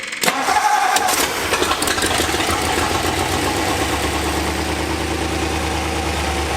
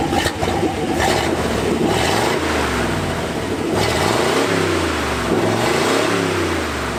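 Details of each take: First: 1964 Ford F-100, abandoned nine years, after a new fuel filter, a carburettor rebuild and new plug wires: it cranks briefly, catches and settles into a smooth, even idle. It idles cold without choke and without smoke. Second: 1964 Ford F-100, revived after nine years, on a road test: the V8 pulls unevenly in second gear, stumbling under throttle. It sputters, and the accelerator pump linkage is suspected to need adjusting (unconfirmed).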